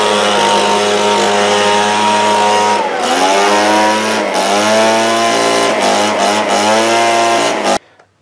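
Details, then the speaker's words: Echo two-stroke leaf blower that sat with gelled fuel and a gummed carburetor, cleaned with brake clean, plug fouled, rings possibly gummed: it runs but wavers and sags, lacking power; exhaust to be checked; it improved as it ran. "guys so it does run you solve that we're gonna check the exhaust now it seems like it's lacking a little bit so and make sure it's clean as I felt some crap coming out of it"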